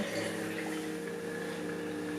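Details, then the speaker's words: Knockoff Pierburg BMW electric water pump with supply turned down to about 9 V: low steady hum, faint whir, no dropouts; now keeps running with PWM below 100% (about 90%) instead of switching off. "It's still running. But now, if I adjust my PWM to be less than 100%. It no longer switches off."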